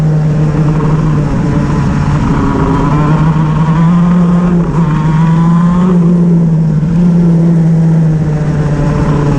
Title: Shifter misfire @The Oval